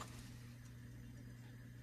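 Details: 1958 Motorola 5K23B-1 "Golden Voice" console phonograph running at 45 rpm; its idler has a suspected flat spot causing skipping. Here a low, even motor hum with no wow, dragging or skipping, holding steady speed.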